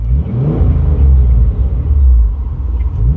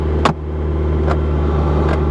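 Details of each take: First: Car just started: two clean blips rising and falling smoothly with a deep rumble and no ticks or rattles; engine sounds healthy. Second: Car with a manual clutch that needs a carburetor and cleaning: steady idle that stays too high with light ticks; if brought down it eventually dies; cause unconfirmed.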